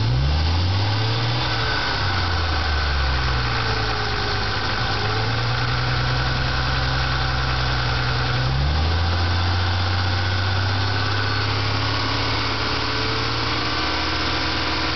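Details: Ford Mustang V6 near idle, lightly revved twice, with a faint knock or tick on its hum, heard between 1000 and 1500 rpm; owner unsure whether a weak lifter or a bad rod bearing, fears rod knock.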